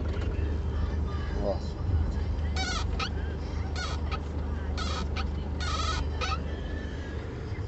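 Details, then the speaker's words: Car at idle: high chirpy squeaks in short bursts about once a second as the clutch pedal is worked; owner suspects the clutch actuator; he thinks a previous service only lubricated it, and the noise returned. "Quando eu fiz a revisão lá, eu pedi pra dar uma olhadinha aqui nesse pedal, nesse barulho aqui. Mas eu acho que só passava um lubrificante só e mais nada. Agora voltou o barulho de novo."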